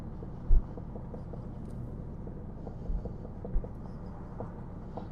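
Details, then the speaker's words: Jaguar XJS V12 on its first drive after sitting 20 years: low engine rumble on the move with loud, irregular thumps as the unlatched bonnet, left open deliberately, lifts and slams down; hood banging, not engine. "that banging that's just that the uh bonnet is not close i want to have it open in case something happens"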